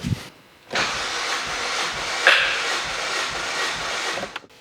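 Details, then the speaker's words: 2005 Toyota Celica Gen 7 GT VVTL-I petrol engine, compression test with digital gauge in a plug hole: steady, even cranking for about three and a half seconds with no uneven beats; reading 205 dropping to 204, a healthy cylinder. "let's crank the car once more there you go we've got 205 dropping 204 so that's perfect that's another healthy cylinder"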